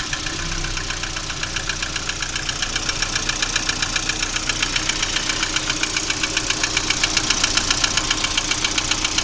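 Steady idle with a sharp, even metallic knock about two or three times a second that stands out clearly above the engine hum.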